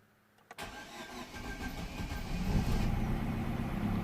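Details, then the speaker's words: 2010 Vauxhall/Opel Astra H 1.6 petrol with changed valves, cold start: short crank taking several turns, then catches into rough uneven idle, petrol smell from exhaust; hard starting from low compression, scored cylinder walls. "so first of all i hope you have seen how bad it started or how difficult it was to get here running so it really took a few a few turns off the engine for it to start"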